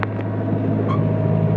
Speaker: I want it to purr. See, that is purring.